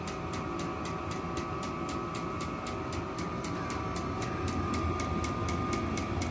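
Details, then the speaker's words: Vevor 8 kW diesel heater starting up in 39°F cold on a not fully charged battery: even soft ticking about four times a second from the fuel pump over a slowly rising fan rush about 2 minutes in; normal startup. "I hear it humming and running, but it's not doing anything just yet. All right, about 2 minutes later, you can hear the fuel pump running and it's starting to build speed."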